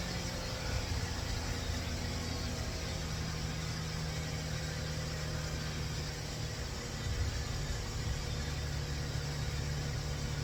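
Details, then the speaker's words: 2004 Toyota Avalon cold start after timing was corrected (a tooth off): a steady, even idle, a little rough, while the O2 sensors read no voltage; it sounds healthy and the roughness is doubted to be the O2 sensors. "But it sounds good. It sounds really good on a cold start. A little rough, but I bet you it's not O2 sensor."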